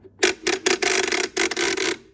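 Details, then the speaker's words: 1948 Chicago Coin Catalina electro-mechanical pinball machine, score reel manually reset: quick clattering resets with a thin squeak; the reel won't return fully to zero, dragging back, so it needs grease. "see how it doesn't want to go all the way back down so it clearly needs some grease because you just heard it squeak it should go all the way down immediately without any trouble"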